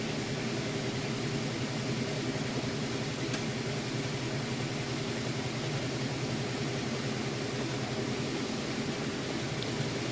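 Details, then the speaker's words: Crosley washer on the spin cycle with a heavy load of jeans and towels: steady, even whir with a low hum at full speed and no banging, thumping or shaking; normal spin. "Okay, and we are on the spin cycle. It's getting up to full speed. It's a pretty heavy load. Sounds good."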